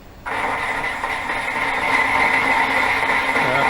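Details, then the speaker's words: Boring head cutting steel on 1949 Rover P3 rear spring beam remanufacture, audio sped up 8x: steady even hiss with clear ringing, no chatter, steel ribbon coming off; clean smooth cut. "That sounds pretty good. It's nice, smooth cutting sound. And getting a nice sort of steel ribbon coming off as it cuts."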